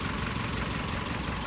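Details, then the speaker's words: 2015 Kia Sorento with an intermittent no-start and code P0340: an even, steady idle with no misses or knocks after both faulty camshaft sensors were replaced. The engine now starts immediately and runs fine. "عندنا الحساسيه هدول عاطلين طلع والحمد لله مش صارت السياره تمام تشتغل فورا"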